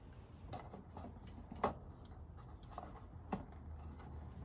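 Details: Old camper fridge with single selector knob set to gas, temperature on 3; sharp dry ticks about once a second in a quiet room as the igniter sparks normally while lighting.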